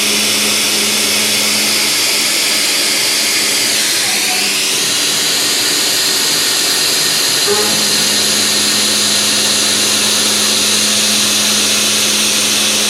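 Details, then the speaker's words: Heat shrink holder cutting a slot dry: even steady high hiss with no chatter or squealing; holder's low runout and tight grip may help dampen vibration, clean cut. "no chatter no squealing no nothing these heat shrink holders tend to have a lot less run out and hold a lot tighter than a CET so it wouldn't be surprised if that body would actually help dampen the vibration in the cut"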